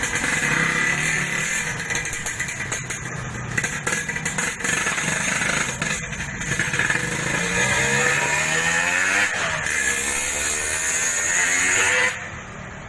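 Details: Yamaha RX King two-stroke after reboring, which cured excessive piston clearance and the previous harsh rattle: crisp, even burble climbing cleanly through smooth revs with no rattle or knock; normal running, smoother than before.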